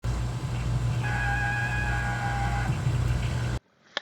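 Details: GE Opal ice maker: low motor drone with rough grinding and a high steady screech from worn auger top bushing, which also causes black sludge in reservoir and upper tank; fix by replacing bushing.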